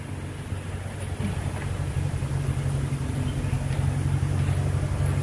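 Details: Toyota Kijang Innova during an engine condition check: a soft, even low burble from the tailpipe at about four pulses a second, with no misses or puffs and no smoke; water dripping from the exhaust is called normal; a healthy idle.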